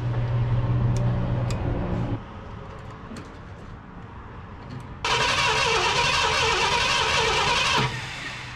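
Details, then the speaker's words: 1972 Ford F-250 Ranger XLT Camper Special being revived: starter cranks the engine evenly at about three and a half beats a second but it never fires; no spark. "i cleaned on these things a few more times and we're not getting no spark uh i know we're losing continuity right there at the points"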